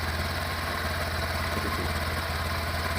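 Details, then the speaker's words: 2022 Honda Beat idling-stop scooter, about 4,382 km, brought in for total power loss and stutter on hills: at idle it runs smooth and even with no ticking or pinging, a normal healthy idle. "ini mesin halus sekali tidak ada kendala apapun tidak ada suaraitik ya"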